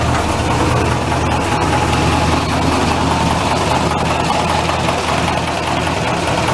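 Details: Massey tractor diesel after fuel filter change, oil bath air filter cleaning and replacing a cracked leaking line: steady low clatter at even idle, no misses or stumbles; running normally.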